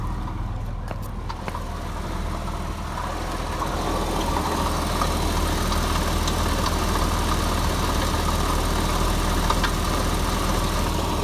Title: 2001 Boxster S 986 engine rattle noise - failing water pump